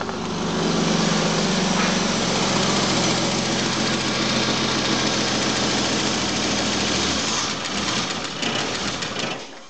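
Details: Volvo 965 2.5 revived after sitting three years: uneven idle with loping, stumbling beat about four pulses a second and hollow exhaust note; rough running, cause not yet found.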